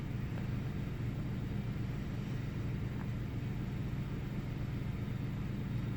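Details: Intermittent rough idle on a 1998 Ford Taurus SE V6 OHV, restarted after about 10 seconds off: low idle rumble with a slightly uneven, loping beat about twice a second, no real change after restart; cause not yet found.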